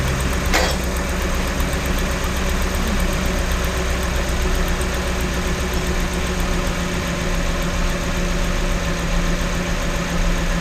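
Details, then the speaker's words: 2012 Ford Raptor 6.2 V8 after replacing the exhaust manifold, gaskets and studs for a broken right-rear stud: steady, even low rumble at idle, no ticking or puffing; exhaust leak fixed. "now that it's all torqued down the batteries hooked back up the only thing left to do is to start this thing and see if the exhaust leak went away which it actually worked really well"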